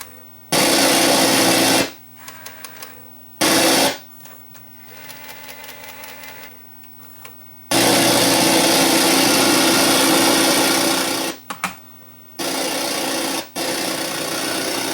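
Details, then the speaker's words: Sony EVS-7000 Hi8 VCR playing a tape with PCM sound: harsh loud hiss bursts over low steady hum, starting and stopping abruptly, PCM sound missing, suspected alignment problem; noisy distorted audio playback. "well they say it's got distorted sound but let's find out [Music] oh yeah the sound is very bad"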